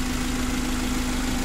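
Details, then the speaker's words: Suzuki Carry 1.5 injection after overheating repair with the engine reinstalled, running almost an hour. Even, steady idle with a constant low hum and no knocks, ticks or misses; normal smooth idle, no longer overheating or spitting coolant. "kita sudah hidupkan dan semuanya ini berjalan dengan lancar ini sudah sekitar hampir mungkin 1 jam kita hidupkan dan mesinnya ini halus dan mesin ini Sudah sembuh teman-teman"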